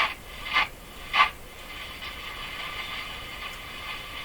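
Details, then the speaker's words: Hallicrafters S-40A shortwave receiver, no antenna connected: tuning back and forth through a scratchy area of the dial gives quick bursts of crackly hiss over steady static. Rubbing tuning-capacitor plates are suspected. "see exactly what I'm doing here so I'm tuning the radio back and forth through the scratchy area"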